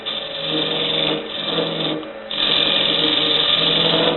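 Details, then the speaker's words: Wood lathe turning a travel mug blank at about 1,300 rpm with a freshly sharpened tool bit: rough buzzing chatter from excessive tool overhang; the hole was drilled while wet and is out of round; vibration dies out about 1 inch down. "Once you get about a 1 inch down, the vibrations seem to die out. Again, because the amount that you're hanging off the edge is much more tolerable."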